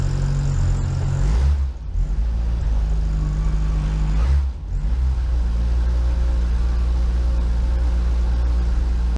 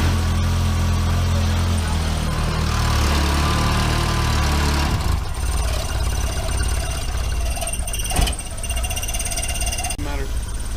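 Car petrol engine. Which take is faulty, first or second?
second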